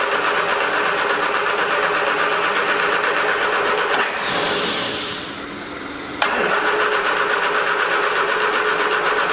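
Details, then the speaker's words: 1979 Triumph Spitfire on its original fuel pump, with starting fluid sprayed in the carb and the original battery charged: even cranking around four beats a second, a pause, more cranking, never starts. Owner suspects the pump isn't delivering fuel; battery running down. "i don't think the fuel pump's working take the fuel line off the car battery's starting to run down see we got it yeah we got no fuel so i don't think the fuel pump is working like it's supposed to"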